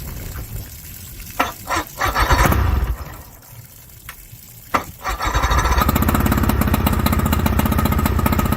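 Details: 1981 Johnson 50 hp outboard on a 1981 center console, new aftermarket water pump kit, overheated after 2–3 months; catches after handling noise, settling into a steady, even buzzing beat on both cylinders; water pump found not pumping.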